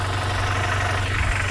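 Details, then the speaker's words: Honda Prelude idling just after an oil change: steady, fairly loud low idle with an even beat and throaty exhaust, no knocks or ticks. The engine sounds healthy. The owner plans to check VTEC solenoid area oil leaks, and the battery is weak. "i mean the engine sounds good i just changed the oil"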